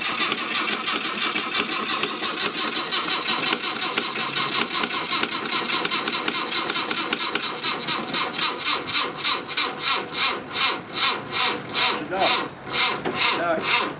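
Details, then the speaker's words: Mk1 Ford Cortina with original 1200 engine, first start attempt, no fuel primed in carburettor: starter keeps churning nonstop ~14 s, pulses slowing to about three a second; starter stays engaged, still getting a live feed, cause unknown. "It's now trying to start on its own. So, yeah, I'm going to have to pull the battery lead off. I'm not sure why the starter motor's still getting a live feed, but it is."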